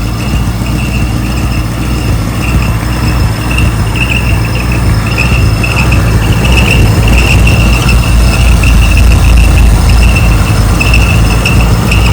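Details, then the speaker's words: 1964 Ford Galaxie V8 running on an engine run stand for the first time, being checked for leaks: a high, chirping squeak comes and goes over the steady engine, source not pinned down. "I do know it ran. So right now I'm just checking for leaks. Hear that squeaking?"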